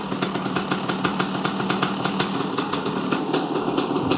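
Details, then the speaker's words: Rebuilt Kawasaki KX500 two-stroke on its first start after blowing up, slightly flooded at first by assembly lube: barks into life and settles into a crisp, even popping idle; normal idle. "lot of assembly Lube in there she's going to be a little it's going to be a little flooded at first for sure there we go heck yeah guys listen to that"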